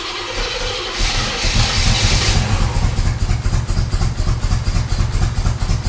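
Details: 1978 Chevrolet Monte Carlo SBC 305 (5.0) V8, rebuilt 2004 and probably under 50 miles since, rebuilt Edelbrock Performer 1406 carb not yet adjusted; cold start cranks and catches roughly, then runs lumpy with surging revs, struggling to stay running. Hard cold start and stalling.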